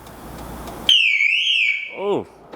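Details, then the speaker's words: Wrecked 2006 Lotus Exige with an AGM battery: a loud siren sweeps up and down for about a second and then cuts off, the security alarm going off when power is first applied. "Oh wow, alarm's going off."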